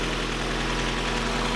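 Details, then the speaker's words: First car, rough project that sat 10 years with everything swapped out, cold start in neutral: starts right up into a steady, even idle with a deep, smooth, moderately loud exhaust, no knocks or misses; engine running great. "What's nice about this car is that although it's loud, it's not like super loud. It's not like obnoxiously loud. It's like in that sweet spot."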